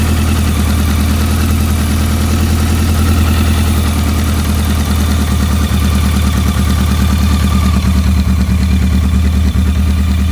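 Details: BMW K100, where a dirty #4 injector plug had caused a no-start: steady, even idle with a smooth low drone and no missing beats; engine sounds healthy.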